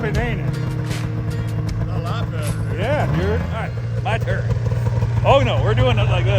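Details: ZL550 two-stroke snowmobile after a no-start fix; it had spark and the problem turned out to be fuel. Repeated clean revs climbing and falling, pulling hard with no misfire or bogging. Normal running.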